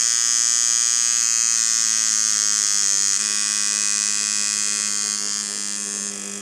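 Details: Dan Kubin Sidewinder V3R tattoo machine after an inconsistency fix, now giving the right sound at 5.8 instead of needing 6.5–7: even, steady high-pitched buzz holding pitch with no stumbles; normal running.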